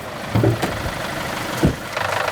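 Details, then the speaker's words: Used car bought as a daily driver, with a lumpy idle and an intermittent EPC light: a rough idle with a quick run of dull knocks at about eight to ten a second; a timing-chain problem is suspected. "Oh shit. Is that the engine knocking? That's not good. I think we're going to have to investigate that further."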